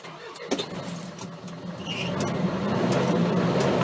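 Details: 2007 Isuzu NQR 450, 175 hp 4-cylinder diesel; keys jangle, engine catches and settles into steady even low idle, no knocks or misses; normal diesel startup.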